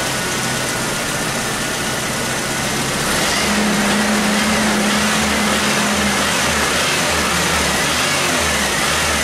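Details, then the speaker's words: 1996 Chevy S10 2.2L, over 260,000 miles, P0200 and P0302: idle still uneven and loping after injector checks, misfire remains and is no longer an injector problem; popping heard, cause still being traced. "well it's better but definitely there's still this fire it's not no longer injector problem something else is going on"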